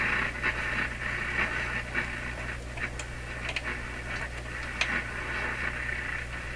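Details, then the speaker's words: Clairtone console stereo during initial AM band alignment, running on the radio's own antenna with no station tuned near 640: steady low hum under hissy static with irregular crackling bursts, a common electrical interference noise in the shop. "So that noise there is a common interference noise heard in my shop all the time."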